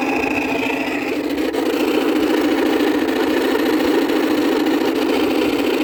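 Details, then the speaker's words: Worn fan motor bearings on a neglected 2000 Whirlpool 6000 BTU window air conditioner, left two years on a porch: constant rough grinding hum, unchanging pitch, over the airflow while it still cools well; bearing noise described as intolerable. "i have to say on his viner on his vintage units bearing noise is not is a lot worse compared to shot bearings on a modern unit chop bearings on a modern unit are actually tolerable this one is not tolerable at all i can't deal with this noisy"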